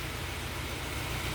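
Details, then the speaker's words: Peugeot 307 SW with antipollution fault: steady low idle with faint uneven lope under hiss, slightly limping; slight stumble, valves suspected pending top overhaul. "Dan ee mobil ini pun mesinnya agak kurang enak teman-teman ya. Agak sedikit pincang gitu ya."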